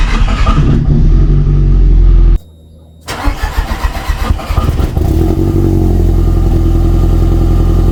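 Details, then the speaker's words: VW Golf drag car after fuel system rework: fuel pump runs and warning lights come on, then brief cranking, a short pause, and it starts straight away into a steady even idle without oil pressure built first; normal start. "même pas de pression d'huile je démarre direct"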